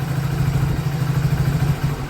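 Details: Hero Passion Plus BS6 after fixing knocking and cutting out: steady, even single-cylinder idle putter with a firm low thump, no misses or rattles; normal idle.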